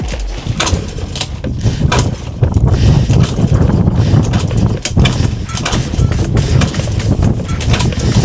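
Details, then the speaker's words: Suzuki Choinori 50cc scooter, after carburetor repair with a new float valve and an NGK CR6HDXS plug swap: engine fires but gives a thin, uneven putt-putt with a faltering beat. Running weakly. "お、来た、に来た。来たよ。弱いけどとことこ言い始めた。"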